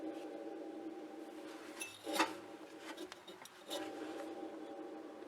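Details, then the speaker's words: Pellet stove blower motor being replaced, spun by hand with the side panel off: a dry, gritty rasping hum with knocks between spins as its bearing fails. "the bearing's going out in it"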